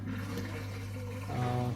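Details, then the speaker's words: Asko dishwasher in service mode, drain pump test while diagnosing F12 error: low steady pump hum with water gurgling and swirling toward the end; the drain pump runs normally and empties the tub. "So now I'm going to test the drain pump."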